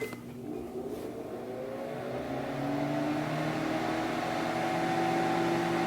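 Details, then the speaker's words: Microwave/grill combination oven, lid refitted and dent straightened, run on grill for 2 minutes: a steady, even circulation-fan whir with a faint tone and no magnetron buzz. Normal grill mode operation. "Okay, so we've got the circulation fan going, and as you can hear, the magnetron did not kick on. You can very clearly hear that."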